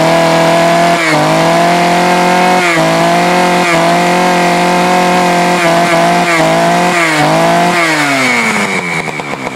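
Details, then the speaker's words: Poulan 4200 chainsaw, cold start: high, buzzy two-stroke note surging and dipping with throttle blips, revving hard and thin; running a little lean, before adjusting the low-speed mixture screw. "model hidden to model's hidden to excuse me sent me this saw and he said it was running a little lean told me to play around with the the low Auto screw which is the botb screw"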